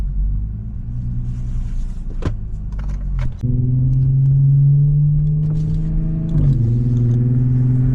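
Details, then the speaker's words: Audi B8 S4, which had a multiple-cylinder misfire and would not move, after spark plug replacement, driving on icy roads: even, steady engine note climbing cleanly on the rev with no stumbles or popping, no longer misfiring; normal running. "this thing is not even hold on this thing is not even misfire no more this [ __ ] is good"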